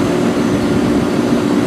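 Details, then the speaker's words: Rheem 2-ton central AC outdoor condenser after repair (another bad capacitor replaced): steady even hum, no stalling, rattling or surging; fan and compressor running smoother and starting better than before. Fan earlier suspected of stalling, causing freeze-up. "it was definitely running but is running smoother than it did the compressor starts out better than it did that's for sure"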